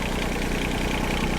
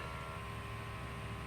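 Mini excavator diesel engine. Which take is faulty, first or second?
first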